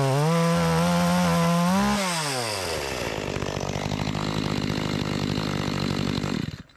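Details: Makita EA3200S chainsaw, repaired after not starting following a year in storage, test cutting an old utility pole: screams at high revs, drops pitch into the cut and holds a strong pull without bogging; healthy.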